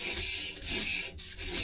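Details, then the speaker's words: Drum brake on an XR2 or Imp with the wheel off, adjuster wound in until the drum spins freely: a light, even rasp each turn as the shoes just kiss the drum. Correctly adjusted. "That's nice and free that. But it's catching which is what we want really."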